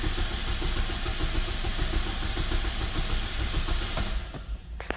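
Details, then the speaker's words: 2009 Saturn Aura 2.4 Ecotec, fuel pump replaced, about 60 psi fuel pressure: steady rhythmic cranking for about four seconds that never fires; cranks but no start, starts on carb cleaner, so injectors suspected. "And she's not starting. Well, we know if we give it fuel, it will start."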